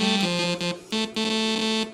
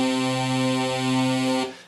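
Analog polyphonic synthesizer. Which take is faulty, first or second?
first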